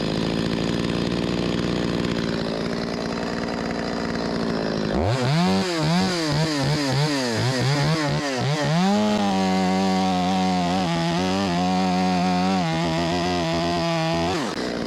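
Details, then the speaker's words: Stihl 025 chainsaw, after carburetor replacement for a hot no-start and flooding fix: crisp revs that climb and settle cleanly, then hold a steady high buzz without stumbling. Runs strong, just needs slight adjustment. "Need to be adjusted a little bit. I can hear it. It got a little bit more in it than that. ain't gonna win no contest, but pretty good."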